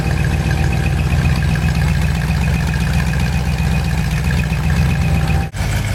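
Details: Ford 390 FE big-block V8 with reconditioned bottom end and 2V manifold, on a test run not yet run in. It gives a deep, even idle rumble with a faint accessory whine from the alternator or water pump, no knocks. Normal idle.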